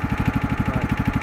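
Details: John Deere LT2000 lawn tractor, pressure-washed, with the deck off and a bad spindle found on the deck: deep single-cylinder thumping at about 14 beats a second, slightly uneven; it runs, but a bit rough.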